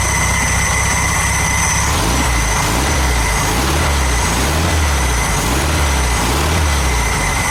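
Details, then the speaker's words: VW Super Beetle air-cooled engine, cold, just started with a trigger starter after reassembly and an apparently new carburetor: steady, even low chug at idle with no misfires or knocks. Runs fine. Normal idle. "it seems pretty good pretty good correct it's good that is I'm not selling it hey it's nice when things work"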